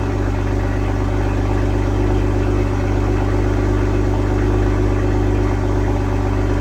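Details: 2022 BMW M240i B58, just after an MST downpipe install with both O2 sensors reconnected, first start. Steady, even low idle hum with no knocks, ticks or whine. No check engine light; normal idle.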